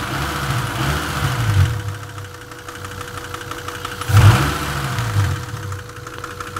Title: непонятный стук в моторе...